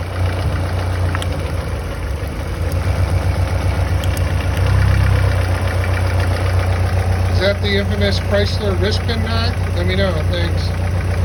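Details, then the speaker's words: Chrysler 2.2L turbo at hot idle after replacing piston 4 (broken ring land): dull regular knock, unchanged with throttle, disappears when a spark plug is pulled, oil pressure up to 60 psi hot; rod bearing, piston slap or pin suspected. "This is at idle when it's hot. It's not a rod knock because it does not change tone when you give it gas."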